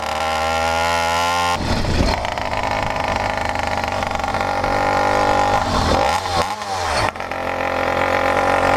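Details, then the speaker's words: 100cc PK100 two-stroke motorized bicycle, new 49mm iron-sleeved cylinder with reworked port map, breaking in, carrying over 330 lb up a steep hill: steady buzzing pulling hard, pitch sagging and recovering with throttle, no knocks; healthy strong bottom end. "See, flipping that duration from intake to transfer made a difference, man. This thing's got all kinds of get up and go now on the bottom end."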